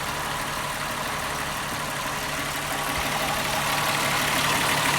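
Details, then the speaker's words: 2001 VW Jetta 12-valve VR6, cold first start after intake manifold shifter rod replacement (fix for clacking noise); idles smoothly and evenly with a light steady whirr and no clacking; normal idle. "actually feels like it's running smoothly"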